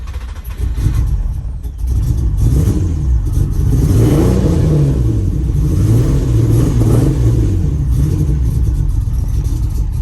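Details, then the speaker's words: Nissan Maxima 4.1L stroker, first start after JWT cams, ported heads and Holley Hi-Ram intake install, with big cam and warning lights on: deep, uneven exhaust beat wavering with light throttle; rough running, no white smoke, cause not yet found. "All right, so we at least got it started. Now we just got to work out the kinks with why it's running as rough as it is."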